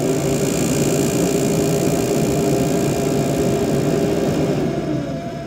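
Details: Frigidaire Gallery refrigerator, loud despite two repair attempts: loud steady mid-pitched motor hum over a rough drone that sags and fades, occurring at random times; cause unclear.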